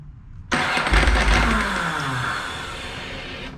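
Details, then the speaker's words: Ducati 999 twin, new battery, owner suspects loose battery cables or fuel pump switch, possibly not warm enough: starter grinds about three seconds, sputtering without settling into idle. Hard starting when cold, cause unconfirmed. "I don't know I guess it wasn't warm enough"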